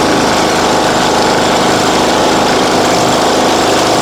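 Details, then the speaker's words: John Deere riding mower with Briggs & Stratton engine, previously a no-start: small single-cylinder running steady and even at a fast constant speed, no misses or knocks; normal running. "Well, >> [snorts] >> that wasn't too bad, was it?"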